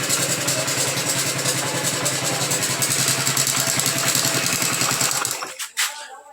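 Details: Honda Biz 100 motorcycle engine idling, also smoking: light, busy metallic rattle on top, very likely (about 90%) a slack cam chain; engine to be opened.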